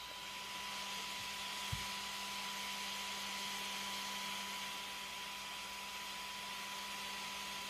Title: Should my rc car sound like this (fan too loud)?